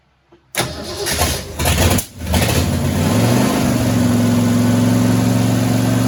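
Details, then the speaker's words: 1967 Mustang C-code 289 V8, four-speed, after a new fuel pump and filter: catches after a short crank, flares, then settles to a slightly uneven idle. Owner says it has carburetor issues but hears no other noises. "well she obviously has some carburetor issues but she runs and we're happy with that I don't hear no noises in it"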